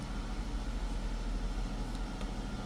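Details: Chrysler 300 3.6 V6 after oil cooler housing and line replacement, codes cleared, oil pressure 83 psi: quiet, steady low idle hum with no ticking, knocking or stumbling; idles evenly, no code.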